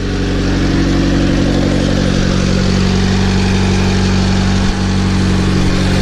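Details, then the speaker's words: Honda EG9 with LS/VTEC turbo swap on stock P06 ECU, first start after install: even steady idle about 1100 rpm with smooth low burble, no knocks or misses, no check engine light; normal idle. "it sounds good [Music] we are idling pretty good there's no check engine lights it's about eleven hundred"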